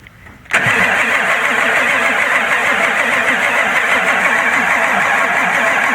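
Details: 1996 Ford F350 7.3 Powerstroke that the dealer couldn't get running: a steady, fast starter churn at about three beats a second, turning over but never firing. Cause unknown; fuel pressure not yet tested, injectors ruled out.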